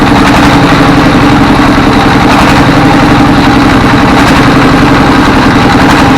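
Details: Diesel S1115 24 hp single-cylinder thumping fast and unevenly, speed surging up and down with thick black smoke; governor and balls fine, over-fuelling from worn dribbling injector nozzle, pump suspected.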